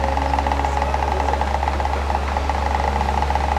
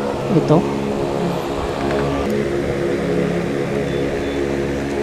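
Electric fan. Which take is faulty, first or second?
first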